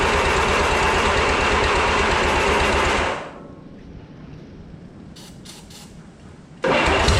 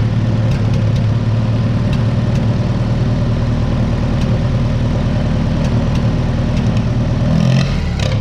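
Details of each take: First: 1955 Oliver OC3 Cletrac crawler, sat 20+ years, IH Farmall M distributor, new coil: even cranking about four per second that never runs, pauses, resumes; owner suspects carburettor float/needle stuck, tapping carb with wrench to free it. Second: 1955 Oliver OC3 Cletrac crawler, sat 20+ years, IH Farmall M distributor, replacement coil and new float, timing advanced, about 20° outside: even low steady four-cylinder idle, no stumbling or knocking; normal idle.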